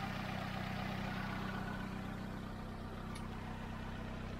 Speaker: that sounds really sweet to me guys smoothies are light